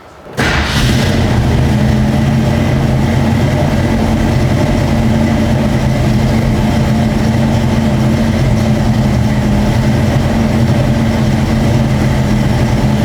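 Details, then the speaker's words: 1966 Ford Mustang 289 V8 with long tube headers, full dual exhaust and turbo-style mufflers, started: catches at once, settles into a deep, even rumble with no misses or ticks; healthy idle. "We'll fire that motor up. That way you get to hear what the 289 sounds like with that full dual exhaust with the long tube headers and turbo mufflers."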